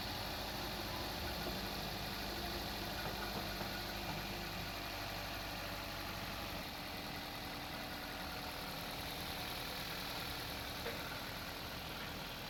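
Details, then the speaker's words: 2015 Toyota Corolla GLI, 2NZ engine, after tappet adjustment and timing refit (previously noisy, tappet noise when hot): steady smooth idle with no top-end tapping; normal idle. "जैसे ये स्टार्ट होगी इंशाल्लाह बिल्कुल स्मूथ होगा, आवाज़ नहीं होगा, बिल्कुल ओके हो जाएगी।"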